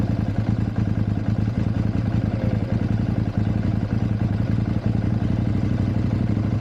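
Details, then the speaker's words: KTM 790/890 Adventure twin, cold at 14 degrees on the gauge, after double fuel-pump priming: steady fast starter chuffing for seconds without catching, long laboured cold crank; owner suspects spark plug. "Obviously it's cold, temperature is 14, it's saying on the gauge. But yeah, she's taking a bit long to start."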